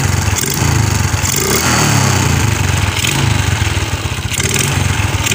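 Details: Suzuki Shogun 125 (Sportline) that was hard to start, ignition coil/CDI/spool suspected, running after emergency yellow-wire ignition bypass: small single with steady idle putter and light throttle rises, firing evenly without stumbling.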